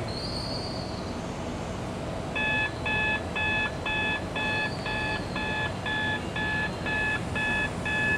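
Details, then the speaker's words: In-cab driver drowsiness detection system, camera detects closed eyes while driving: sharp electronic beeps about twice a second, a dozen in a row, over a quiet cabin; drowsiness alarm beeping. "अभी आपको सुनाई दे रहा है कि यहाँ पे एक ज़ोरदार बीपिंग की आवाज़ आ रही है। वो इसलिए आ रही है क्योंकि कैमरे ने इमेज को देख लिया है, कंप्यूटिंग यूनिट ने ये समझ लिया कि मैं सो रहा था गाड़ी चलाते हुए, और इसने ज़ोर ज़ोर से आवाज़ करके मुझे नींद से जगा दिया है।"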